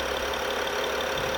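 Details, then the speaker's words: BMW 5 GT 3.5 gasoline after repair of a vacuum leak whistle that caused misfire, shaking and warning lights, codes cleared: steady, even idle with a smooth hum, no whistle or misfire shake; quiet, normal idle. "수를 벌었는데 자 소리 안 들리고 상당히 조용 하 죠"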